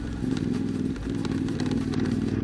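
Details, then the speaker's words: CFMOTO 450MT (Ibex 450), about 20,000 km and 12 months of use, while riding: uneven tinny clatter over engine drone, a noticeable rattle from the front of the bike, cause not yet found. "As you can probably hear from the video, there is a noticeable rattling sound coming from the front of the bike"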